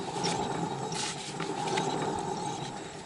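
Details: VAZ car with a steady droning hum over road rush from a worn wheel hub bearing; fixed by pressing a new bearing into the hub.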